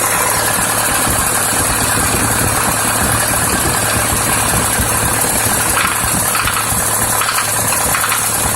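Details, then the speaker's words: ZMZ-51432 engine at idle: silent when cold, after about 3 minutes warming a fast light tapping suddenly starts and quickens as it warms, located in one area of the engine; knock of unknown cause. "Ну вот прогревается и начинает стучать где-то вот в области здесь вот, то есть"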